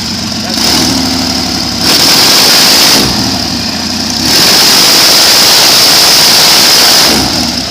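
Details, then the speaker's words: Airboat, still cold: catches and runs in uneven surges with a harsh rattle, breaking up. Crew questions whether the blades are over-pitched or a gauge is at fault; cause not confirmed. "you don't think the blades are pitched too much oh you can hear it's breaking up yeah"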